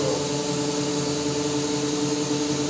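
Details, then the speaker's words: BMW E31 840Ci EV conversion drivetrain on bench, electric motor driving automatic gearbox in park, fail-safe mode with maximum line pressure after priming pump: steady even whir and pump hum, pressure coming on, no knocks or grinding; gearbox healthy. "Now she's feeling the load, pressure's coming on."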